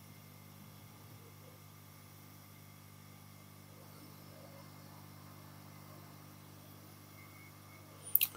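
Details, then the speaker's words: Yihua 968 DA+ III soldering/desoldering rework station at full power with hot air gun on, after quietening work removed resonating vibration: only a faint, even low hum with no rattle or buzz; the pump now runs much quieter. "yeah that's everything on and that is so much quieter"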